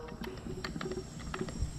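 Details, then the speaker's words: Honda B18C engine from AWD Civic, leak-down test on cylinder four, about 15% leakage, valves and head fine, blow-by in all four cylinders: quiet irregular bubbling in the catch can; bad rings or head gasket suspected, unconfirmed. "again we can hear gurgling in the catch can and we're at about 15 leak down so the valves are good nothing wrong with the head"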